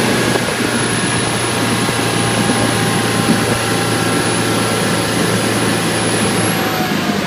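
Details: 2012 Bayliner 175BR with hatch closed: thin, very high steady squeal over engine drone, bending upward near the end; source not found.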